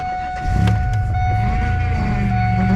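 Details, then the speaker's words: Car at idle being prepped for a long road trip, steering wheel turned back and forth after refilling the low power steering reservoir: steady mid-pitched whine as the pump draws air, fluid visibly frothy from the low level. "I can tell just from looking at it that the liquid is really frothy that's because the fluid level went down so the pump was trying to move the liquid across but it wasn't getting there so it was mixing up with air and so now all of the fluid is super bubbly"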